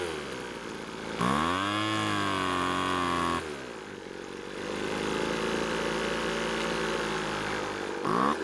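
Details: Small two-stroke blower with a newly fitted replacement carb, heard during carb adjustment: it revs up, then the buzz sinks to a low, wavering idle that keeps sagging and won't hold steady. The cause is unconfirmed, and the idle later improves.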